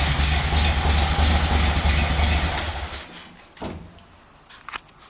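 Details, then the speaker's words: VW engine, fuel pump also leaking, crankshaft end play previously checked fine with engine out: even whoop-whoop pulse about three a second that stops at shutoff; internal rhythmic whooping noise of unknown cause, engine must come out again. "So you heard the whoop whoop whoop whoop whoop noise? Okay, well, that means the engine's got to come back out again."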